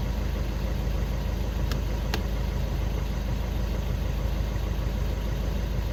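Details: VW Golf 6 after crankshaft position sensor replacement for P0335 no/hard start, fault cleared: smooth, settled idle with even low rumble, no misses or knocks; running normally.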